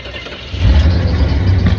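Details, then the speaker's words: 1982 Jeep Wagoneer Laredo, carbureted, not started in a while, cold start after a little fuel dropped in the carburetor: starter churns steadily but the engine never catches; needs more fuel priming. "Ah, I got to prime it a little bit more. Ah, I got to prime it more. Yeah, just prime it again."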